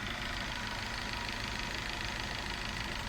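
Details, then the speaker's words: Volkswagen Vento 2.0 AGG at 260,000 km, idling at 800 rpm on propane LPG after switchover: steady idle with fast light ticking from the LPG injectors, engine otherwise running smooth; whether normal is uncertain. "Слышите, как стучат форсунки ГБО. Это стук форсунок ГБО. Но двигатель работает ровно, спокойно, без проблем."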